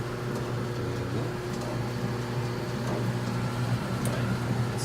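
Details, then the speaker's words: Samsung dryer running after pulley replacement: even low hum and soft steady rumble from the drum with the belt and pulley turning quietly; the earlier metal grinding is gone, normal drum run. "very smooth run right there. Pulley, the pulley works really good. You get the belt right there. See, this is very quiet. It's not like before, it was like a metal grinding."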